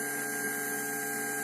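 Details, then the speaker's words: MP3 Bluetooth module fitted in a Polytron compo tape deck: a siren-like, buzzing hum with stacked tones from the speakers caused by stray voltage on an unfiltered supply line; fix is a 1000 µF 16 V electrolytic capacitor filter. "Uh oke kita dengar suara seperti sirine ya ini biasanya karena tegangan liar dan perlu filter di sini nanti kita pasang Elco"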